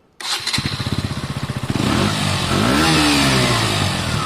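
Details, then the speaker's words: KTM 125 motorcycle on stock exhaust before aftermarket Black Widow fitment: kicks over, catches and rises to smooth steady rev; meaty, healthy exhaust note, running normally. "I mean, this one sounds quite meaty. Now I'm going to have to wait a bit longer before touching the exhaust. I think that sounds fine. I quite like that sound."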